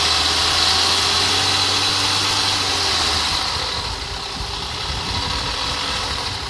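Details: Skoda Fabia RS engine at idle: a steady, fast, even tapping about three or four times per second over the engine. This is an engine knock whose source is not pinned down.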